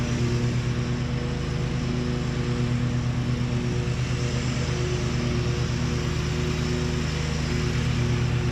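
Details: 2003 John Deere L120 hydrostatic mower, Briggs 20 hp V-twin, mowing after repairs and deck leveling: steady even drone, no squeal or bearing rumble from deck; deck quiet, running good.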